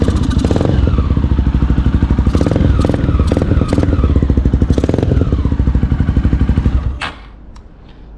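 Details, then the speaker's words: 2008 Honda Twister 250cc motorcycle after adjusting carburettor idle screw for hard starting and no idle: even, steady idle thump with no throttle, no hunting; slight stumble when accelerating, mixture too rich or lean suspected. "ó Ué aí é galera a lenta dela ficou boa vocês viram aí"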